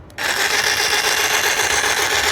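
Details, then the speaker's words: Harbor Freight Bauer battery tool, plastic base with tack-welded part: constant harsh gritty grinding rasp with no rhythm while the base moves; the mechanism sounds rough and binding inside. "they tack welded this on and also doesn't sound so great but it's moving"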